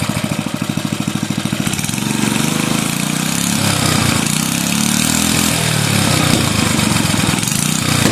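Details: Bolens 5 rototiller's 5hp Briggs and Stratton engine after repairs and reassembly, fires up easily: single-cylinder firing evenly, settling from a quick putter into a steady faster run with no misses; no oil burning or smoke, healthy.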